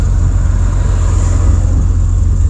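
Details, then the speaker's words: Jeep Cherokee XJ after rebuilding the neutral safety switch for codes P0700, P0705 and P0758, codes erased, just started after an earlier no-start: low, smooth, even engine run with no knocks, misses or whine; healthy idle. "let's see it started let's let it run for a second cuz I didn't want to start for a"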